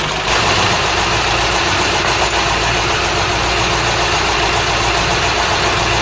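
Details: Ford Cortina GXL after running gear rebuild and alternator brush pack replacement, air filter fitted, final test including high revs: steady, even idle with smooth low hum under hiss, no knocks, misses or hunting; engine sounds healthy.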